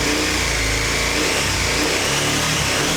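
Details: 2021 KTM 1290 Super Adventure S, rebuilt twin engine on first start after reinstallation: strong, clean rev with a steady, even exhaust note and no knocks or rattles; the engine sounds healthy.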